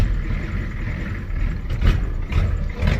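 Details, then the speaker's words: 1985 Ford F250 6.9 IDI diesel, manual, after a very quick start: low rumble hunts and surges in uneven bursts about twice a second instead of a smooth idle, "doing this again, not as bad as last time"; truck won't move, clutch suspected. Rough running. "And now it's doing this again. Kind of. Ah, not as bad as last time."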